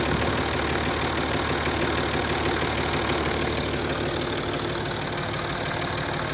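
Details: Land Rover Discovery 3 2.7 TDV6 diesel, hot engine at idle: sharp regular knock, about three a second, riding hard over the diesel clatter; a real knock.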